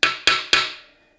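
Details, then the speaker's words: 700R4 transmission rebuild, case assembly: output shaft struck with medium hammer smacks to seat the part flush on its ledge in the case. Three crisp, ringing taps, the flat sound showing it is fully seated. "That's how you know it's fully seated, at least by sound."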